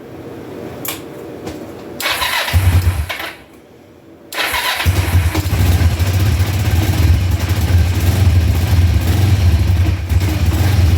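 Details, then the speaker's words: 2004 Kawasaki Vulcan 500 stored two or three years, after float bowl bleeders were cracked to get fuel into both carbs: brief crank, then it catches into a steady, slightly fast cold idle on choke at about 35-38°F. "all right there we are running on choke right now cuz it's cold about 35 38° here in New York"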